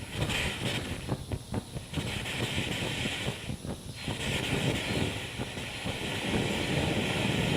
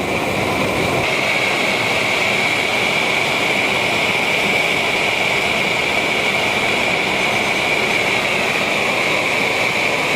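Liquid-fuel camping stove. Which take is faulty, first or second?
first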